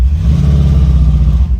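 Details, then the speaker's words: Deep V8 running rough and uneven after a part was reinstalled, like running on four cylinders with felt shaking; engine misfire, cause not confirmed, owner suspects a reset is needed. "I can already tell it's running back you hear it yep you can feel it yep have to go the no you [Music] don't oh you can hear it's like it's running on four cylinders"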